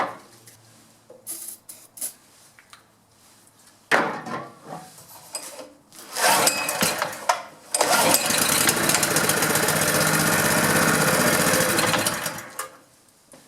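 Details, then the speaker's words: Honda GX pressure washer engine that sat about 10 years, on choke. It catches and coughs unevenly for a few seconds, then dies, acting like it isn't getting fuel; the owner suspects a carburetor clogged from sitting. "like it's not getting fuel but that's sure encouraging on choke sometimes something's been sitting and it's not getting any fuel"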